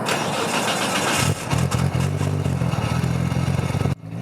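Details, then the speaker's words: Tuned roughly 500 hp Nissan R32 GT-R on HKS ECU, 100-octane pump gas, with a catalyser fitted: brief crank, then a deep, even, fairly muted burble because of the cat; healthy engine start. "you might have thought hey that's kind of quiet for the level of tune that this car has but that's because it has that catalyser in there"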